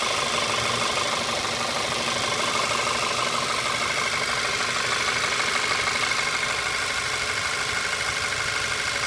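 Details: VW Tiguan petrol engine at warm idle with a steady diesel-like knock/tick from the right-hand rear of the engine, only after warm-up, oil not low, audible in cabin; suspected N80 valve or missing injector spacer.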